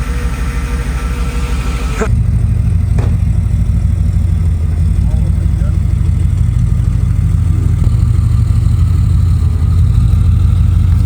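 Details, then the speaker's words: Mercedes W210 E55 V8 after swap to Chrysler Crossfire NSG370 6-speed manual, wheels turning in gear: deep, even drone holds steady; transmission sounds good, earlier clicking noise gone. "Transmission's not sounding bad at all. Oh, transmission sounds good"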